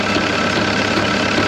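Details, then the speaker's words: Caterpillar 299 compact track loader diesel idling after fuel pump replacement: steady, even idle, no stumbles or misses, no leaks seen; runs about the same as before the pump change; AC compressor belt noted loose. "I don't see any leaks."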